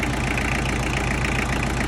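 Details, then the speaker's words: Tractor diesel idling steadily after being pulled from the pasture with a dead battery and brought back to running; injector lines being checked and tightened for air leaks, one was loose; still needs a fuel filter. Even clatter, no misses: normal idle. "All right, I got back idling. Just gonna make sure all my injectors are tight. I don't want them to leak any air."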